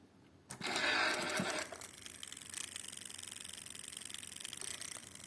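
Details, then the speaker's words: Old Mark I Uher Report tape recorder with a swapped-in motor from another machine: brief loud whirr then faint uneven chatter about three per second, the same noise as before, so the fault is suspected to be the motor control board. "the motor is doing the same noise H okay so I suppose if I if I if I put the the other motor to the to the other U here which is uh uh down there uh it will work properly so the that thing indicates that our problem is uh the motor control board"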